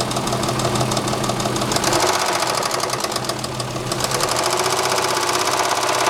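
Sharp rapid ticking knock over the idle, about three beats a second and fairly even; a persistent engine knock, source uncertain. Cause suspected, not confirmed.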